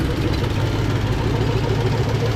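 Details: Long-parked 1977 Oldsmobile 98 Regency V8 on its first start: a steady low rumbling idle, even and unbroken, with no misses or knocks. It sounds healthy and is fueling fine.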